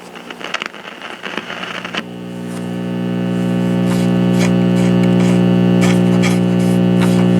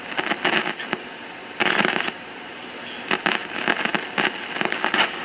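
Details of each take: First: 1950s AA5 tube clock radio with Telechron clock, unknown maker, antenna wire disconnected: warms up into a loud, steady low hum with no station; bad filter capacitors, volume control possibly bad too. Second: 1950s AA5 tube clock radio with Telechron clock, after replacing bad filter capacitors and the across-the-line cap: crackles and static bursts but the steady mains hum is gone.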